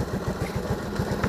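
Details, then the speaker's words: Shogun Kebo 110 motorcycle just back from the workshop after five months: pulls well, but a steady low idle thump carries a rough, uneven humming under each beat; owner wonders if it's post-service; rough idle. "enak dari segi tarikannya sih enak untuk motor ini tapi kayak kayak ada berdengung mungkin kayak ada gitunya ton"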